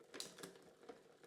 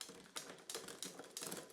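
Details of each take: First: Dry, unoiled chain on a fairly new kid's bike with Shimano Cues gearing and a knocked rear derailleur. Irregular metallic clicks and chatter come as the chain tries to shift up or down due to wrong cable tension. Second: Bike rear derailleur after repair and hanger realignment, limit/tension adjusted quarter turns, large jump between sprockets (46-tooth top): a few crisp, quick ratcheting clicks shifting up and down, each clean and settled; shifting properly.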